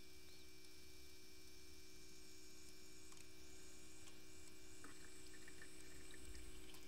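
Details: Auxiliary electric fuel pump on a VW TDI CJAA (CP4 high-pressure pump) priming after a fuel filter change, done without a scan tool; the filter housing was filled with diesel first. Steady, even hum with a clear tone as it pulls prime.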